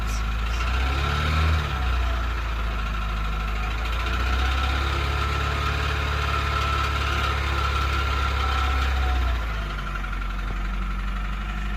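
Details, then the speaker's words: Honda engine at idle with power loss: heavy even tick about three per second; owner attributes it to cam lobe galling. "It's like a heavy sort of tick, tick, tick, tick sound. You'll hear that, and that is cam lobe galling."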